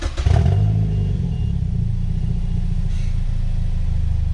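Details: 2010 Mazda 6 GH, heard from the back of the car, briefly started with the exhaust removed during a bolt and seal kit job: deep, loud, raw unmuffled rumble with a brief rev blip.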